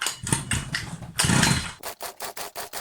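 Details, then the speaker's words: Rovan Baja 5B 29cc RC car with Walbro carburetor and NGK plug, which shows good spark: it catches, blubbers and sputters in short bursts, struggling to stay running, maybe overfueling. "Ooh, ooh, ooh. It's going. It's going. Maybe a little bit of overfueling."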